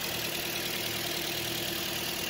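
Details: 2014 Toyota Corolla, after replacing blown short-circuited fuses from suspected crossed battery terminals: steady even idle, smooth hum, no knocks, misses or surges; alternator charging at 13.98 V, engine healthy.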